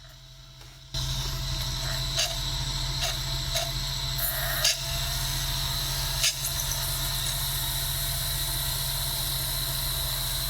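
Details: Sega Dreamcast GD-ROM drive, suspected failing capacitors, after reclosing tray: disc spins to steady constant-speed whir with no seek ticks, drive has quit trying to read; reading works after reopening tray again.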